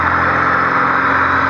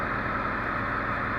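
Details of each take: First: Honda Civic D16Z6 with a high, surging idle not caused by the IACV: the engine holds a fast, steady hum well above normal idle, with extra air past the fast idle thermo valve keeping the revs up. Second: Honda Civic D16Z6 after fixing a high, surging idle without touching the IACV: a short, even, steady idle hum with no hunting or surging. The engine now idles properly.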